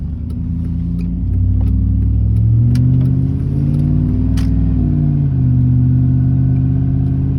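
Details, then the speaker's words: Chevy truck with 4L60E automatic transmission while driving: engine revs climb and hang briefly between gears before each upshift lands, slipping flare; fluid level good though leaking; owner suspects stuck servo (bent snap ring), 2-3 shifts possibly burnt. "hear that flare shift that's why i want to change the [ __ ] servo i don't know why it does that"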